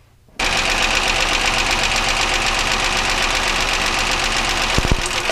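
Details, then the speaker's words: Idling petrol engine with steady rapid internal knock about four per second; cylinder drop test pulling spark plug wires one at a time shows no change in the knock, only slower running. "obviously you can hear there's no change in the sound again you notice the sound gets a little slower"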